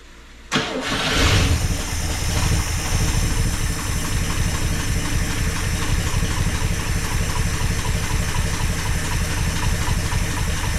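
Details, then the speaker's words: 1974 International pickup that sat for years, blown-out muffler: short crank, then it fires with a surge and drops to a loud, slightly lumpy idle; owner suspects the carburetor is still gunked up. "carburetor carburetor is probably a little gunked up still and it's real gross in here"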